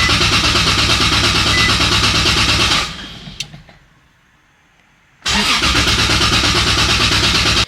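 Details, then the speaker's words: 2JZ-swapped Nissan 370Z Nismo, first start attempt after fuel pump relay hookup: fast, even starter churning at about three beats a second, a pause, then more cranking, never catching; fuel pump relay seems to double-click, cause unconfirmed. "kind of sounds like the relay's like double clicking or something."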